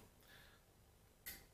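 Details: Ankuoo smart light-switch module installed behind the existing wall switches and switched via its app: two faint, sharp clicks about a second apart in a quiet room as the relay turns the light off and on normally.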